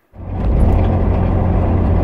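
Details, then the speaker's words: 1981 Ford Capri 2.8 Injection 4-speed manual, driving back from a car meet: loud low rumbling drone with rough scraping, strange sounds from the engine; the cooling fan blade broke and is striking. "i don't know if you guys can hear that noise but there is definitely some very strange sounds coming from the engine of the car this is uh not a good sign"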